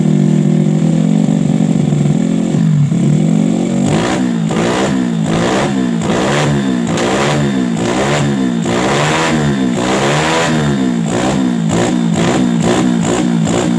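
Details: Jupiter Z with bored-up engine and PE 26 carburetor, after widening the carb hole: idle then sharp throttle blips climbing and dropping cleanly with no stumble; it previously stuttered on throttle as if short of fuel, and now fuels properly.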